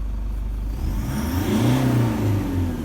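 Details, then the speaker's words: 2013 Toyota Hilux 1KD-FTV diesel after fitting new injectors: quick blip from idle rising and falling cleanly with no rattle or knock; normal free revving, though it rattles warm under light load around 1500 rpm. "we put injectors in it, and it is really quite particulate idle. Just have a listen to this. It's a clean revving engine."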